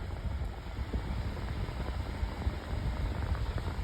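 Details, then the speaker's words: 8-inch Better Homes and Gardens metal table fan on high speed with oscillation: steady even rush of air over soft motor hum, no ticking, rubbing or wobble, airplane- or lawnmower-like; a tiny burr noted at switch-off; running normally. "doing a pretty moving a lot of it on high now it's also making a really nice sound too oscillation once again yeah that's powerful sounds kind of like an airplane or a lawnmower"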